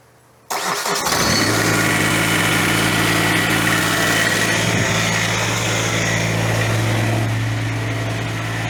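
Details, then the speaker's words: Ventrac 4500Y, 25 HP Kubota diesel at full throttle, after air filter refitted correctly: catches quickly after brief crank, settles into strong even run, no misses or smoke; normal start and run. "Look at that. We're not smoking. As simple as the uh air filter was just in the wrong way. That's crazy."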